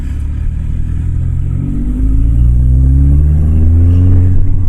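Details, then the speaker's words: Modified drag-built Audi TT, driving under load: the engine pitch climbs smoothly through the revs with no turbo whistle or boost surge, and it almost felt like boost cut; the turbo isn't making boost. "it's not making any boost. I'm not feeling really I'm not really feeling any boost coming on."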